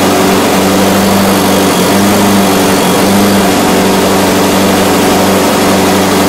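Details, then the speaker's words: eXmark Commercial 21-inch push mower running after carb cleaning and throttle cable work: loud steady drone that sags briefly a couple of times, hunting from fuel starvation; not thought to be a governor issue. "well if you could hear it was just getting starved for fuel i don't think that it was a governor issue or anything"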